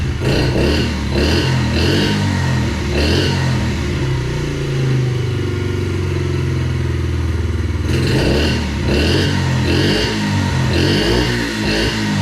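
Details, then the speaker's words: 2021 Yamaha TTR50, not run for a couple of years, after raising the idle speed screw and leaning a rich mixture: the small single settles into a steady idle with crisp throttle blips, picking up cleanly; normal idle. "I had to turn the idle speed up a little bit the speed screw up a little bit and I had to adjust the mixture just a little bit I believe it was running too rich I leaned it out just a little bit and now it sounds good"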